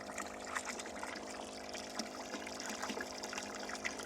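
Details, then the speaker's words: Solar-powered well water pump, water below pump, first power-on: soft steady hum under trickling, splashing water as it spins up and pushes water through pipes without strain; normal running. "Power on. Oh, I hear something spinning. It's warming up. We may have water in a few seconds."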